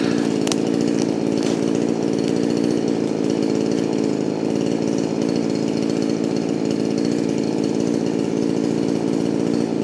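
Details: Poulan Pro 4620 chainsaw, owned since 2002, just rebuilt with a new piston and run rich and easy for break-in, cutting wood with a worn chain: strong, steady two-stroke buzz that holds under load with no stumbling, rattles or surging; healthy.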